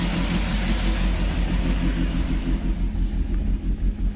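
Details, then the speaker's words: Peugeot 205 GTI that would not start from cold and had no idle control: after the fix and a couple of throttle blips, it holds a smooth, even fast idle around 1500 rpm on its own, which should drop after a few minutes. "right so you can hear there it's holding revs on its own"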